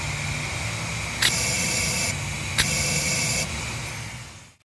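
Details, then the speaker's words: Cummins ISL/ISC diesel, EGR differential pressure sensor removed, blowgun blowing air through its ports into the intake manifold: two short, even hissing bursts pass straight through with no choking; ports clear. "this example the ports are clear and you can hear the air blowing through into the intake manifold"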